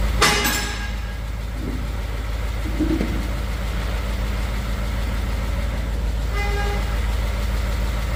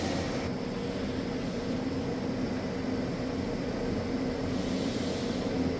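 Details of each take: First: 2015 Ford F150 Coyote V8, fresh VR1 20W50 oil, mic on toolbox; smooth cold idle with light quick ticking from exhaust side, not engine, usual Coyote tick, stops after warm-up. Cold exhaust manifold tick. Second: 2015 Ford F150 V8 (Coyote), 120,784 miles, fresh Valvoline VR1 20W50 conventional oil replacing Restore and Protect; mic on front of toolbox; cold start settling into steady even idle, smooth low rumble, no misses or knocks. Normal cold start.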